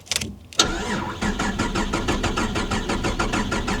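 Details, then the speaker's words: Holden VR Commodore manual project car: starter churns the engine in even pulses about three a second but it never fires; crank, no start, no injection; after key swaps, BCM concluded cooked. "Um we kept kept trying, tried a few other things, but yeah, essentially come down to the conclusion that the BCM is cooked."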